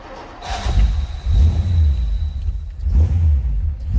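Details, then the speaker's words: 1955 Ford Fairlane Crown Victoria V8 with dual exhaust, just started and blipped: deep throaty rumble swelling through two clean revs and settling, firing evenly with no misses; healthy exhaust note. "Dual exhaust, nice sounding engine."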